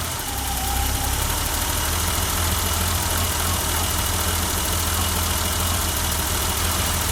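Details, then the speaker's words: 1988 BMW 325i six-cylinder idling after 6 years of sitting and a fuel pump replacement; steady, even idle with a smooth low hum and no misses or knocks, so the engine idles normally. "It's been 6 years. Wow, that sounds smooth. Oh my gosh."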